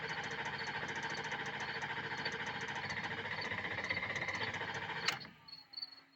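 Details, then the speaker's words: Diesel with new stand pipes, dummy plugs, IPR valve and updated STC fitting, cranked with 40-second rests between attempts. Steady cranking for about five seconds without catching, on the cusp of starting; owner suspects a torn upper injector O-ring, passenger side. "it's like right there on the cusp of trying to start."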